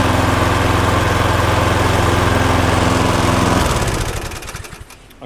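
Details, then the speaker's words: Viking lawnmower, suspected bent crankshaft ruled out, relatively new plug, auto choke: steady even single-cylinder drone, no shake or knock, then winds down and stops; smoky from tipping, no longer vibrating. "it's a bit smoky cuz it's been tipped up on its side. So, I just want to let it run for 5 minutes and see if it clears. Before I do, I want to check the oil, but it's certainly not vibrating like it was."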